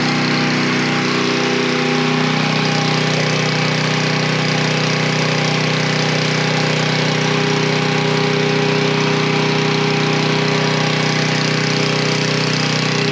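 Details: Coleman Powermate 3250 W generator, 6 hp Briggs, after carb cleaning and plastic-welded, superglued fuel inlet: single-cylinder engine holds a steady, even drone at constant pitch with no stumbles or surging, no leaks; normal running.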